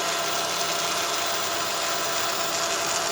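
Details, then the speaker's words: 2004 Honda Odyssey EX idling: faint steady whine over hissy idle as power steering pump draws in air, bubbles in reservoir; air leak fixed by replacing inlet O-ring. "okay see a bubble so it looks like i got an air leak somewhere"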